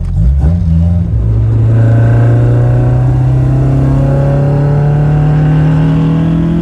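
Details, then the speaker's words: Toyota TE72 wagon with a 4A-GE 20V swap and a new driveway-built exhaust: deep boom rising with revs, a low cabin drone; quieter than before but still droney, and a resonator may be added. "General consensus is the exhaust is quieter uh not as quiet as I'd like definitely kind of droney"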